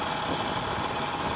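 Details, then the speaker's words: Harley-Davidson Nightster 1200, normal everyday acceleration: an even, steady V-twin drone with no rattle or tapping. The rattle only appears with sudden aggressive throttle and is less audible in first gear. "Okay, so that's normal acceleration. I can accelerate to as high as I want with that kind of acceleration, and I'm not going to hear it."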